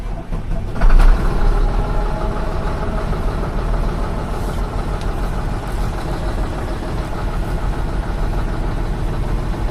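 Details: 2007 Mitsubishi Fuso Fighter FM260, 6M60 7.5L diesel, cold idle while air pressure builds: rough, uneven clatter with occasional sharper knocks from failing fuel injectors, which are replaced.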